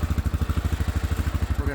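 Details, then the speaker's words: Massimo T-Boss 550 UTV at idle: lumpy idle pulses with a buzzing metallic rattle that swells at certain RPMs, from loose bedsides and possibly the middle of the bed. "you guys hear all that rattling some of it's the bedsides but other RPMs I think the whole middle of the bed rattles like that"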